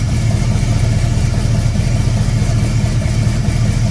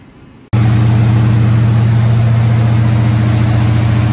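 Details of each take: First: Squarebody Chevy C20 V8, first start after a cam swap: steady starter cranking with an uneven chug and no firing or pickup; the distributor is installed 180 degrees off, and the fix is repositioning it. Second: Squarebody Chevy C20 V8 run at fast idle around 2,000 rpm for about 15 minutes after correcting a distributor that was 180 degrees off; steady, even deep drone, no misses or knocks. Valve train later got a little noisy.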